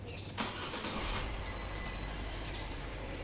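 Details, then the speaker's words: Fiat Linea after AC compressor clutch and pulley replacement, engine idling with a thin steady high chirp, "chu chu", lessening but not gone when AC is switched on; suspected non-genuine AC belt rubbing. "And as soon as I turn the AC on ना, तब ये आवाज़ थोड़ी कम हो जाती है, ख़त्म नहीं होती है, कम हो जाती है।"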